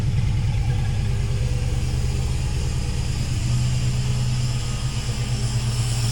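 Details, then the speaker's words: 1966 Mustang V8 on FiTech EFI, in neutral at idle, car shaking badly: deep lumpy idle with flat, uneven exhaust beat and a dead pulse; a cylinder missing, with no fuel reaching the back corner, cause not yet confirmed. "you'll notice that the car is shaking pretty bad so I've been chasing this Miss and you'll actually hear how flat it"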